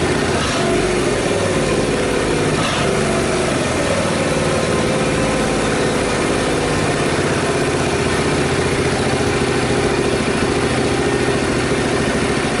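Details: Honda Super Cub rebuilt from disassembled storage, after carburetor cleaning for overflow; loud even single-cylinder putter at steady speed, no ticking or rattle from the previously suspect cam-chain tensioner. Normal idle.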